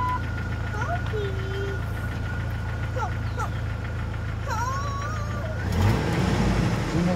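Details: 2000 Jeep Wrangler, 140,000 miles, idling: steady low rumble with even beat and some chirping; engine sounds healthy, any rattle is the exhaust.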